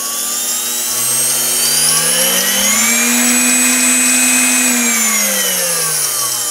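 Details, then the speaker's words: Bestline AL-500P milling machine power feed, speed control repair, tested with potentiometer wired in; smooth electric whine rising in pitch as dial turns up, easing down evenly; speed control and direction working, replacement potentiometer needed. "now we turn our potentiometer [Applause] as you can see the further we go in it the faster it goes"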